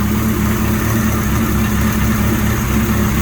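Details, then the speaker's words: 1983 Suzuki GS1100E custom four-cylinder at idle: steady, even low drone with no misses, knocks or ticks; quiet and idling perfectly, healthy. "it's nice and quiet it's running idling perfect"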